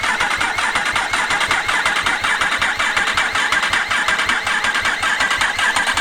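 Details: Yamaha R1 race-bike rebuild, freshly fitted engine with no fuel tank, in neutral: a steady, even starter churn at about two beats a second that never catches, turning over to build oil pressure.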